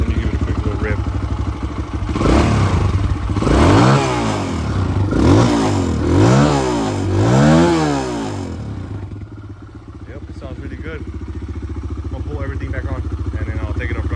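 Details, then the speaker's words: 2009 Kawasaki KLX 140 dirt bike, sat for about two years, first start: engine revs up cleanly in several quick blips, then settles to a steady, even idle; runs well. "it sounds like it runs pretty good though I just got to clean it up now"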